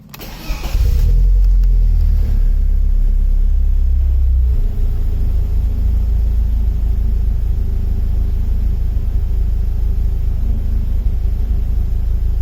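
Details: BMW E36 M44B19 engine, intermittent rough idle as O2 sensor voltage and lambda integrator randomly drop; sensors, ignition, air leaks, fuel pressure, MAF, ICV, hoses, injectors checked: idle wavers and sags, revs dropping; cause unknown.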